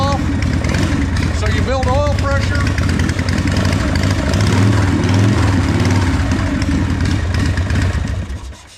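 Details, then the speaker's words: 1989 Harley-Davidson Softail Custom Evo after oil change (new filter, transmission and primary refilled, 2.5 quarts engine oil), started to build oil pressure: big twin fires and settles into steady, deep, loping idle, about four pulses a second; normal start. "and we are going to start it up, get the oil pumping through the motor, through the oil filter."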